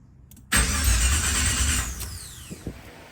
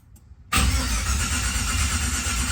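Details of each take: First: 1987 Monte Carlo SS, first start attempt: starter churns about 1.5 s, never catches, no pump hum; crank no start, owner blames fuel pump not activating, gas smell noticed. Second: 1987 Monte Carlo SS cranking with Terminator X EFI disconnected to build oil pressure before first start: steady, even starter whir spinning the engine without firing; normal cranking.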